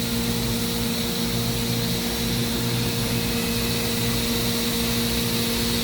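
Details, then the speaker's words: 2013 Mazak HCN 4000 Mark III horizontal machining center spindle at its max 14,000 rpm with 3% load: steady, constant high-pitched whine, no roughness or rattle; runs smooth and healthy. "This machine has a max spindle RPM of 14,000, and this is the spindle running at 14,000 RPM."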